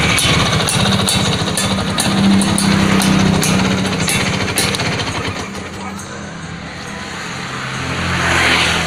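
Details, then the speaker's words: Vespa PX two-stroke scooter after its platina (contact points) repair: crisp even popping revs drop back to a steady, smooth, very low idle ("tang tang tang"); running normally now. "Ini sudah enak suaranya dan putaran stasionernya sudah enak banget ini. Jadi bisa kecil banget, tang tang tang tang gitu."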